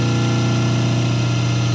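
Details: 5 hp three-phase electric motor on single-phase 220 V, before balancing capacitors are added, lines measuring about 189, 187 and 385 V: loud steady low hum with buzzy edge, no speed change; humming from unbalanced supply voltage.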